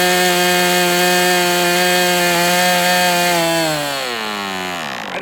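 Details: MDS 68 FS Pro model engine on a break-in run, warmed to operating temperature but still tight with high pinch: high steady buzz with clean even pitch, then smooth wind-down. Runs well, better than with the earlier idle bar plug.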